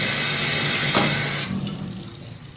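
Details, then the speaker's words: Fluidmaster Universal 400A toilet fill valve after cleaning: steady filling hiss, then sharp spraying rush as flow shuts off; defective valve, must be replaced. "I see everything is fine until the water turns off and then it sprays which we're going to see in a minute"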